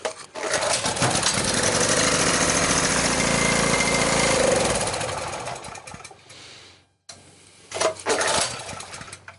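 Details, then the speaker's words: Sportsman generator, unused for a couple of years: recoil pulls spin it with a fast, even chuff but it never catches; there is ignition but no fuel coming through the carburetor, with the main jet suspected clogged. "So it's not getting gas. It was flowing through the carburetor. So there is ignition, but it's not getting fuel through the carburetor."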